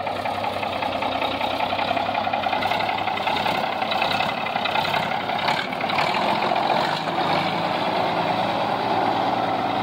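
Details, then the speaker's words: 1965 Mack B61 dump truck diesel idling after first start, long sat, air pressure building, brakes not releasing; constant airy hiss over lumpy idle, leak heard at the back; owner suspects an air chamber needs replacing; air leak hiss. "I hear leakage. Yep, probably gonna have to change change one of the air chambers in it."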